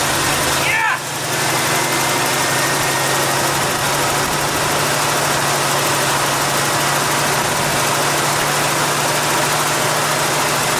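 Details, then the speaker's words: 1978 Jeep J20 4x4 plow truck V8, an auction buy, started in very cold weather with gas poured down the carburetor: brief crank, catches and holds a steady, fast cold idle with an even hum. Runs well but hasn't idled down yet. "I can't believe it I think whoever parked this truck parked it on a velvet pillow I just hope it idles down though it hasn't yet"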